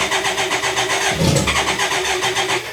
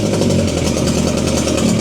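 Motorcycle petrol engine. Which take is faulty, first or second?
first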